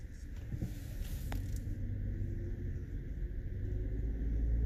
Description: If you hear this popping sound as you drive over rough roads in your Lincoln MkT, you've got worn out sway bar linkage.